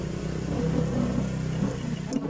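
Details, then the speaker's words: Yamaha NMAX idling with a rough noise: a steady low rough rumble with an uneven rattle from the belt drive, like a worn clutch lining or loose clutch housing; the cause is a loose one-way clutch boss bolt/nut that wobbles side to side. "Pokoknya longgar seperti Mirip suara kampas kopling yang oblak ataupun rumah kopling pada motor bebek yang oblong"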